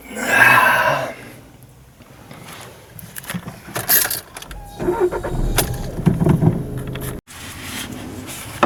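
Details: VW Golf 7 1.6 TDI, previously cranked without starting (P025A), after replacing the fuel pump control module: brief crank, then the diesel catches and settles into a steady idle; normal start.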